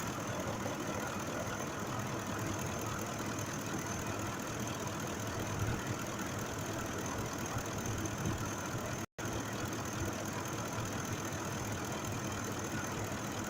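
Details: 2005 Ford F-150 5.4 V8 with earlier cylinder 2 misfire, mechanical fault, after repair: quiet, even idle with steady low hum, no knock or stumble; engine running smoothly.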